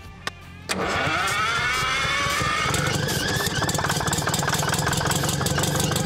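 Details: Champion motor grader with Detroit two-stroke diesel, locked up 7 years, freed with Marvel Mystery Oil, now fed clean fuel from a bucket: starter cranks, engine catches into a steady busy rattle with rising whine.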